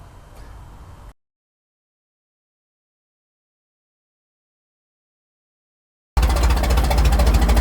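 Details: Restored 1921 American LaFrance fire engine of the Licking County Fire Dept. on a ride: after a faint start and a long silence, a loud, steady low engine note with an even, regular beat; healthy normal running.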